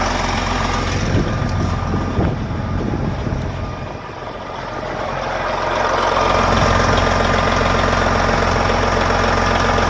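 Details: Diesel truck parked two years, started monthly; engine cranked right up, idling steady with a deep low rumble and regular firing beat, no misses or knocks. It earlier shut down on a check-fluid light, traced to low antifreeze at the tank sensor.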